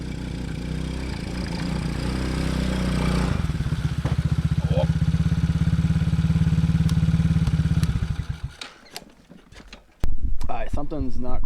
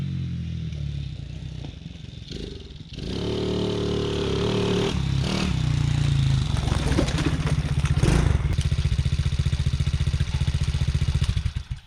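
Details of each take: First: TaoTao Coolster 110cc youth ATV with a 20mm carb, needle at default and running a little lean, test ridden: it revs into the mid-range, then burbles unevenly and can't pull through it or reach wide open throttle; cause not confirmed. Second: TaoTao Coolster 110cc youth ATV, previously bogging and backfiring, after repair (kinked fuel line suspected): catches after a few seconds, then revs cleanly and strongly with even pull, no misfire or backfire.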